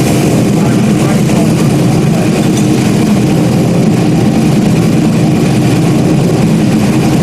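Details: Stock-block 5.3 V8 race car just rebuilt after almost a year, idling after its first start: deep, loud, steady idle with an even low beat and a nice tone, no knocks or misses. Normal idle.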